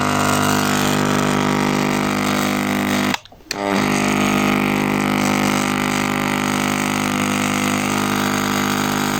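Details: Steady, even electrical buzz with a firm hum underneath, briefly cutting out once, from a buzzing 168W lighting ballast.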